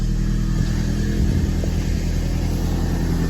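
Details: Audi A4 1.8 turbo, not run for about 2 years, with a crank-no-start fixed by a new relay after new coils and plugs: engine fires and runs steadily with a firm low thrum and clean revving, no misses.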